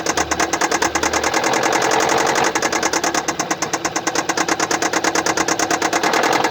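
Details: 2015 Kia Sportage SL, 2.0 petrol G4KD (1998 cm³, 122 kW/166 PS), 118,709 km, at steady idle with a sharp, regular tick about three times a second from a defective injector.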